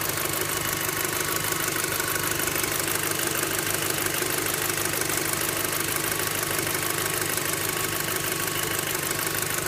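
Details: VW Golf 5 GTI engine at idle: fast, steady metallic ticking with a faint bell-like ringing on top; source not identified.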